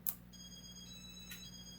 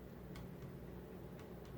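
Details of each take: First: Late-1980s Casablanca Four Seasons 48-inch ceiling fan with Inteli-Touch control, switched back from reverse to forward: a single sharp relay click over a faint steady hum; relay engaging normally. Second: Late-1980s Casablanca Four Seasons 48-inch ceiling fan with Inteli-Touch, speeds 5–6 (high): quiet whoosh with faint irregular knocks about twice a second from the mounting box; owner suspects the mounting bracket or HangTru crossbar, unconfirmed.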